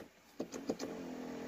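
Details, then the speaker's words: 2002 GMC Sierra, 221,000 miles, power seat stuck; after switch clicks, faint steady hum as only one side of the seat motor runs and the seat doesn't budge, unplugging and replugging the module wire didn't help. "like that but it's only this side of the motor that's moving if you click it so many times but as you can see the seat did not budge"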